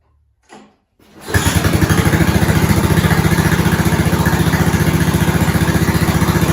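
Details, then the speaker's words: 1970s snowblower rescued from scrap, small engine started on slow throttle with choke on, key on and a couple of primes, with a new fuel line. Short crank, then a steady, even chug of about four beats a second, a normal idle. "Slow, choke on, key on, couple of primes. That sounded good."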